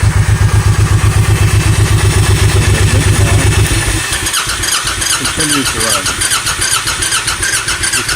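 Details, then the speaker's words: Honda VTX 1800N V-twin keeps thumping after key/kill switch off with starter whir underneath, starter solenoid stuck engaged; sounds like dieseling; tapping solenoid stops it; fixed with generic lawn-tractor solenoid. "the solenoid. You vote the solenoid a couple of times and it turns off."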